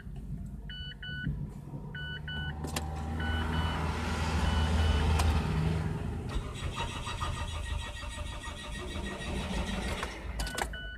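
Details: Mazda 3 with no check engine light, hard to start on the first morning start and again after a drive and about 5 minutes parked, with a long steady crank before it catches; clogged fuel pump strainer and fuel filter, also causing low power on acceleration.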